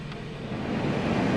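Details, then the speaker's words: 2021 Genesis G70, first startup after wiring harness replacement for dead HVAC blower per TSB, engine running with check engine light: steady air rush building then holding, no squeal or rattle; blower motor now works. "Okay, so you can hear that blower motor is working."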